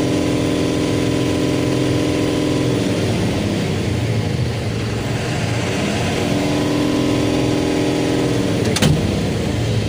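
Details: Tata 4825 BS6 truck with Cummins diesel, after fixing the neutral indicator starting problem: even diesel clatter and steady drone rising briefly with throttle, then settling to a smooth idle; normal running.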